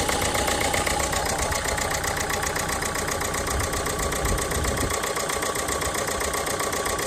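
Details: Renault Megane 1.5 dCi diesel with a hiccup and loss of power: the idle has an uneven, lumpy, wavering knock. Injector no. 3 was confirmed faulty by swapping with no. 2 and replaced with a good used one.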